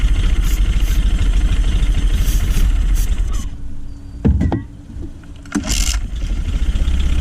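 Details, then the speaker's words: Honda 9.9 outboard that would only fire on starting fluid, after cleaning its plugged carburetor main jet: fairly steady low putter, brief dip midway then even again; now running fine. "Alright, let's try to make this carburetor just a little better. It's running pretty decent."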